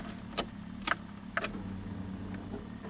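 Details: 1992 Ford Ranger 3.0L fuel-injected V6 after fuel filter replacement, inertia switch connector plugged back in: key clicks, then a quiet, steady hum as the fuel pump runs at key-on; normal priming.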